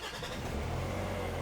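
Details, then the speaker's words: 2003 Nissan X-Trail T30 2.2 dCi, previously fault P0120 and would not rev, starts and settles to a steady deep diesel note, revving normally after the accelerator fault was bypassed and codes cleared. "and she revs up, and then we're ready to go."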